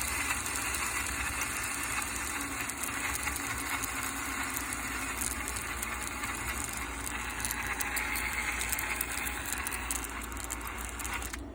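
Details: Axial SCX10 RC crawler driving: busy high-pitched whirr with tinny rattling and squeaks riding over it; fixed by tightening loose screws and applying WD-40 for the squeaking.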